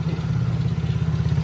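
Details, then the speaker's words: Tao Tao 110 ATV after rebuild work, part fully seated: deep even engine beat, steady low thrum, no clapping or clatter; sounds much better, normal running. "I feel so much better. It sounds so much better."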